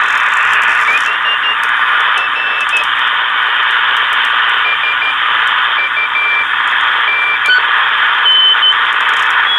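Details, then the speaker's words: Yaesu FT-747 after repair of a no-receive-on-any-band fault, on the CW band. Loud steady hiss with faint Morse tones; S9 line noise on the lower bands, likely from a storm passing. Receiver works fine; normal operation on a noisy band. "Someone talking, and just so you can see about the noise here on the band today, we have an S9 of line noise down on the lower bands. It is really terrible,"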